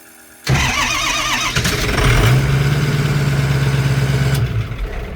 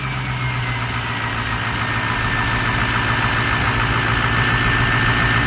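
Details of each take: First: Turbo diesel Mustang after burnout event and turbo failure, back at shop: catches after short crank, settles into lumpy uneven idle with irregular beat; owner suspects engine is hurt, possibly low compression. Rough uneven running after start. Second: Ford Mustang with diesel swap (Strokestang), first run after fitting a new turbo: steady diesel idle with even clatter, rising gently under light throttle with faint turbo whistle; turbo judged good, runs smoothly.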